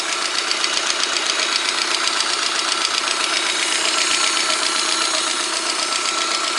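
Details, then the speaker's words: VAZ 124 16-valve engine (2110-12/Priora) after head rebuild, warm idle at 63°C: fast even sharp top-end ticking persists, oil pressure present; cause not found, owner suspects worn camshafts. "В общем, результат не дало. Так, стук и есть. Температура 63."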